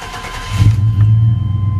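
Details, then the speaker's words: 1988–95 GM full-size truck (Silverado/Sierra/Suburban/Tahoe/Yukon) started with set-timing connector unplugged, running on base timing; deep, uneven, lumpy hum idle running slow, check engine EST code expected, owner notes it had been shaking at idle. "But you hear it. It sounds totally different. It's like really really hum."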